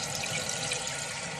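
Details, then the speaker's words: Toilet that kept running, right after fitting new fill parts and refill tube; steady, even, uninterrupted hiss of water refilling the tank, new fill valve working normally. "Working good. Sweet. So far so good."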